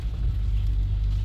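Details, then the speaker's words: 2020 Lexus/Toyota 2GR-FKS V6, 57,000 miles, codes P0174 lean bank 2 and P117B, just restarted after fuel-injector replacement and priming: deep, lumpy rumble with an uneven pulse, running rough at first until the fuel balances out. "it will run rough at first but let run it to balance you can see how rough it's running but it to get bance very soon"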